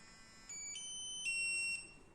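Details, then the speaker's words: CAEN RFID skID reader entering configuration mode after firmware load: three quick high beeps confirming configuration mode. "You have heard the 3 beeps, so we can open the configuration tool."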